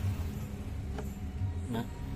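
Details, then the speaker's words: Fan after new bearings pressed in with a bearing press jig, running at speed 3: steady low hum with no grinding, rattle or squeal; bearings smooth and quiet. "tuh sangat halus banget ini Speed 3 ya jadi dia nggak ada suara bising sama sekali"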